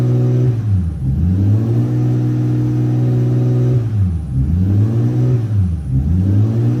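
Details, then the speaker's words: Toyota VVTi 2JZ-GTE after throttle delete conversion, warming up, target idle 650-700 rpm: raised steady rev around 2,000 rpm sagging briefly every second or two, never dropping to idle; resistance test showed failed throttle position sensor. "So, as you can tell, the engine is basically revving to 2,000 revs and will not come down. Um, so I did a resistance test on the TPS sensor. It turns out the TPS sensor had gone."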